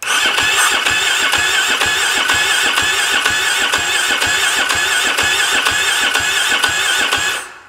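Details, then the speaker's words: ATV with stale, bad-smelling fuel and nonworking sending unit: steady even cranking about two turns a second, no catch; no start from insufficient fuel pressure, fuel pump suspected, not confirmed. "There's a chance this thing might need a fuel pump. That is definitely not enough pressure to start this."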